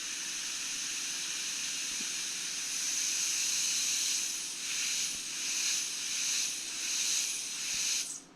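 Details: Datsun 521 pickup heater core under a low-pressure air test with soapy water: loud steady hiss that swells and pulses, then cuts off when air is removed. It is leaking nearly everywhere the tanks meet the core.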